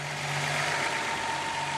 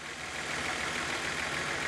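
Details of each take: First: Datsun 280ZX idling after replacing charcoal canister, battery and terminals and tuning idle screw and BCDD; it used to hang near 2,000 rpm: smooth, even idle, steady low hum, faint constant whine, no hunting. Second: Nissan 280ZX: even idle around 800–1000 rpm for several seconds, then the note sags and dips when the battery cable is removed; idle dropping, owner suspects a bad battery, possibly the alternator.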